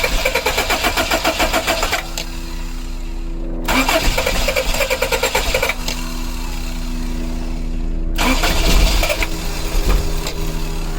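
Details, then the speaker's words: 1984-89 Toyota Van Wagon after fuel pump work, fuel injector relay jumped with a paperclip, old contaminated fuel still in the system; uneven cranking bursts until the engine catches and idles roughly. First time it runs on its own. "it's got a lot of garbage fuel in there still"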